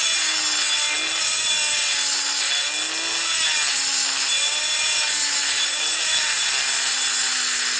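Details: Die grinder with a carbide burr grinding out a crack in a 1978 80ci Harley shovelhead cylinder head; the whine sags repeatedly as the burr loads up and slows cutting, then picks up as it clears.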